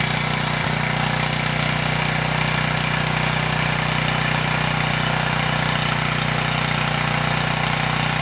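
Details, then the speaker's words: Abandoned Powermate generator, small single-cylinder engine, running under load and making power after a start on starting fluid with some fuel left in the bowl. It runs steady and even, though smoky; the carburetor likely needs cleaning. Normal running. "all right we got power and the engine sounds good now it shouldn't have run that long on starting fluid so there was some fuel left in the bowl"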